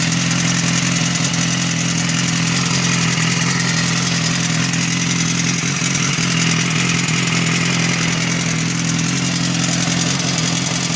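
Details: BMW S1000RR at idle with a light, fairly regular tapping clatter of about three to four per second over the engine. The source is unconfirmed, and a butterfly valve is mentioned as the possible cause. Idle clatter.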